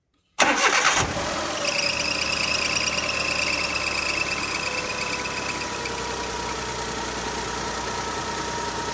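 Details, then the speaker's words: Car being checked for a defective radiator fan, just after starting with fan off and engine not yet hot: thin high squeal over the idle that fades as revs settle; worn drive belt, to be replaced. "और इसकी belt भी घिस चुकी है। इसलिए, हम इसकी belt भी बदल देंगे। आपने अभी-अभी बेल्ट की आवाज जरूर सुनी होगी।"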